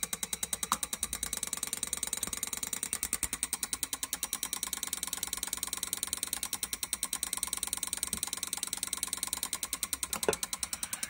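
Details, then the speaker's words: Alfa Romeo V6 Bosch L-Jetronic fuel injector driven by a signal generator at about 30 Hz to simulate idle: fast, crisp ticking with a faint hum. Moving the airflow meter changes the duty cycle; the injector fires normally. "we're going to hit that you can hear that fuel injector clicking away so it's kind of cool when you move the airflow meter you can hear the duty cycle of the injector"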